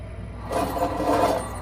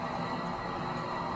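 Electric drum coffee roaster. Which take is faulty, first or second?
first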